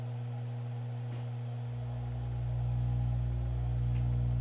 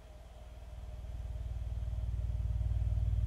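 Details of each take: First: Miller & Kreisel V-2B subwoofer amplifier, 5 V AC ripple on the 35 V positive supply rising to 10 V with audio fed in: deep steady mains hum swelling and roughening; failed main filter capacitors, replaced to fix. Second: Miller & Kreisel V-2B subwoofer after the defective main filter capacitors were replaced, playing a 70 Hz test tone: steady, deep low tone with no rattle, buzz or distortion; clean bass reproduction.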